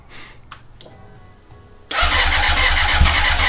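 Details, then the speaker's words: 2004 Honda CBR600RR after throttle cable replacement and fuel line refit, throttle primed: the starter grinds steadily at about four pulses a second and the engine grumbles but won't fire. Extended cranking, no start; injector seating was questioned. "Okay, I heard it grumble a little bit, so it's definitely. Keep priming it. Might just be because it's a cold start, you think? No. No. Prime it a few more times with the gas."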